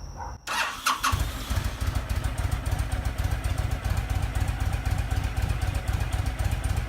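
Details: Honda VTX1300, sat almost a decade, after draining bad fuel and cleaning carburetor, tank and fuel lines: cranks briefly, catches, then settles into a strong, even V-twin lope with steady low thumping; normal start and revving.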